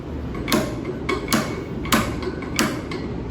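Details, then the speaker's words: wanlvkang 10–65 in-lb torque screwdriver with Torx bit: crisp separate clicks about every half second as the clutch slips and stops turning, the torque limiter releasing at its set value, working properly. "You can see it stops from going up, and you hear that clicking sound, okay? That means it's up to spec, depending on what unit, okay?"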